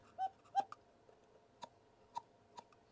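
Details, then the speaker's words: Vintage cuckoo clock before cleaning and restoration: two faint breathy cuckoo notes at nearly the same pitch, then soft clicks; call lacks punch, owner suspects a split in the wax paper bellows. "So, you know, that doesn't sound very well. So it could be a split in the wax paper or something."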